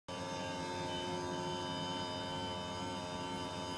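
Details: Panasonic split-system air conditioner. Loud, steady droning hum with a fixed pitch and no variation, much noisier than it should be. Cause unclear.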